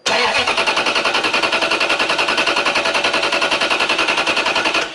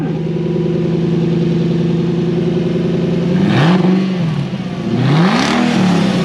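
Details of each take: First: Toyota 3UZ-FE V8 after its ECU was bricked by a dealer; after it fired once, key cycled and restarted: steady fast cranking, about 3.5 beats a second for five seconds, never catching, indicating an immobilizer lockout. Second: Toyota 3UZ-FE V8 running normally after its dealer-bricked ECU was reflashed: smooth steady idle with three clean, even throttle blips, no misses or knocks; only a brake light switch circuit fault code remains afterward.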